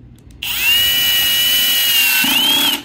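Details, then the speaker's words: Power drill with clutch set to 1, lowest setting, driving a screw into furniture wood: steady high motor whine, then rapid ratcheting chatter as the screw seats and the clutch disengages; clutch slipping normally at set torque. "so let me show you what I mean right now I have this set to number one and I'm going to put the screw in the hole and you're going to hear that it's going to disengage as soon as that screw is"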